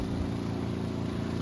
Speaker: Now, hold it. It's going to get noisy. It's loud when it builds up. And you can see it's draining some water out. As it builds up, it's louder as it builds up.